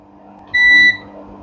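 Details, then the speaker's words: Panasonic 7 kg front-load washer set to spin at 800 rpm: one short high buzz under half a second over faint room hum, with an H27 error because the door lock does not engage; the door lock needs checking or replacing. "here is showing uh h27 error message this is the problem also buer alarm is buing it's this is the problem"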